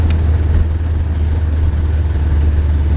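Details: C3 Corvette with new 500 hp engine on its first road test, throttle cable known to hang up at idle: loud, steady high-rev roar that never drops back to idle; throttle sticking open.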